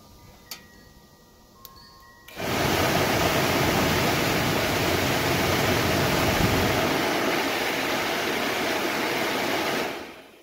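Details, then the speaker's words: New AC Delco replacement blower motor for a 1969 Camaro/Firebird (first-gen F-body), the old one having blown bearings, bench-run outside the car: quiet ticking, then a smooth, steady air rush with no squeal or scraping; healthy. "yeah I'm happy with that it's gonna be a heck of a lot quieter"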